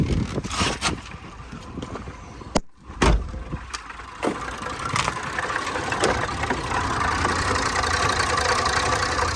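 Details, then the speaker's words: Range Rover Supercharged 400 V8 idling fairly evenly with a faint occasional stumble after handling clicks; slight misfire persists with fuel-trim code present and cam code returned; owner suspects fuel issue or pump/cam timing, unconfirmed; engine smoothed once oil cap removed. "طبعا التفتفة لسه موجودة بحكم الكود حق البنزين اكيد، الا لو لا قدر الله في مشكلة في التقسيمة، لانه هذه ماكينة السوبر 400 لها تقسيمة الطرمبة مع تقسيمة التامن."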